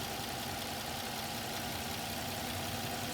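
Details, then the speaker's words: 2006 Suzuki Vitara petrol engine idling with a constant airy hiss from an induced vacuum leak, a finger lifted off a hole. Idle rises and falls as the short-term fuel trims add fuel to compensate for the extra air. "And you can see with the short-term fuel trims, it's making pretty quick adjustments to that vacuum leak as I let my finger off the hole and it's adding fuel to compensate for that extra air coming in."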